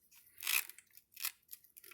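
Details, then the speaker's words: Brooks Imperial Flyer sprung touring saddle: sharp, dry, high-pitched squeaks in bursts each time it is pressed down. The springs squeak under load on every pedal stroke despite greasing and oiling everything. "this thing freaking squeaks. It won't stop freaking squeaking. I try to grease everything, oil everything."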